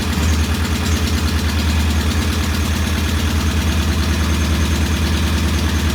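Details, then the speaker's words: Norton P11 vintage British motorcycle twin, first start after carburetor fully disassembled and old dead gasoline replaced with fresh; loping, slightly uneven idle of about three pulses a second; one carb's pilot jet not following adjustment, to be cleaned again. "I'm going to clean this pilot jet one more time. It doesn't seem to be following the adjustment as well as the jet on this side."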